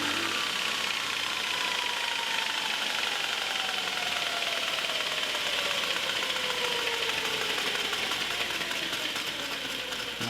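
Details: Multitool 4x48 belt grinder, with a replacement motor: steady even belt hiss with a faint falling tone, no knocks or flutter; normal running.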